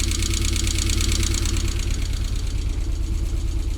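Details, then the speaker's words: Rover engine in an MG, just started after no-start diagnosis and extensive work, idling with some smoke: steady low but uneven, lumpy pulse about two beats a second, engine visibly shaking a lot; rough idle, cause not pinned down. "there is a bit of shake going on so the engine i don't pick that up but the engine is shaking quite a lot"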